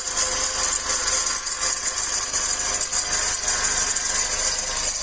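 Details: 2008/2009 G5 petrol engine idling with a steady high, hissing whir and faint fast rattle from a worn tensioner pulley bearing.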